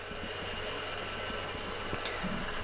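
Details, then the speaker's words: GPU mining rig just moved and powered on under a desk: steady fan rush with a faint uneven rattle; one of the GPU riser fans is broken. "I made sure to double check all the connections before I turned it on just because we obviously transported it here and I'm hearing something not good on this rig"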